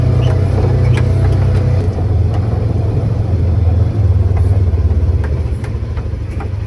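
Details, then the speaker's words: Polaris Ranger 900XP side-by-side after repair, driven in high gear. Even low engine drone with no chain rattle or ticking; it sounds much better and runs healthy. "it sounds way better let's see what the temp's at"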